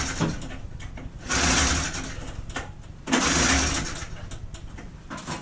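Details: 1980 John Deere Liquifire 440 snowmobile, two-stroke, sitting since 2006: rapid raspy buzz catches in two short bursts then sags, barely firing after long storage.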